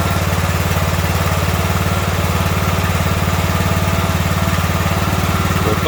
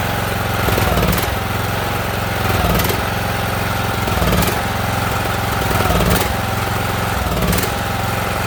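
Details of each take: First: Ariens riding mower with 20 hp Briggs & Stratton Intek, after the surging and stalling was traced to a stopped-up fuel line and fixed: a steady, even single-cylinder thump with no surging or dying over six seconds; running smoothly now. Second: Ariens riding mower with a 20 hp Briggs & Stratton Intek, jump-started because the battery is thought to be no good; customer says it surges and dies. Revs rise and sag about every 1.5 seconds without settling, then falter: surging from fuel starvation.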